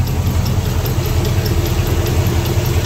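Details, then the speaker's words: Ford FE 360 V8 truck with lost oil pressure, warm after 30–45 minutes idling: a fast, light clatter with some squeaking. Suspected worn pushrod end and rocker arm with a lifter not pumping up, unconfirmed. "that reminds me of a rocker arm uh what it probably is if you remember how to wore out push rod end and that wore out the rocker arm well that lifter it probably ain't pumping up like it should and it's giving it a little too much slack"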